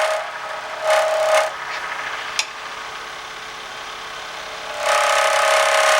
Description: Something is making a strange squealing type of noise when I'm turning pens on my lathe. Can't figure it out.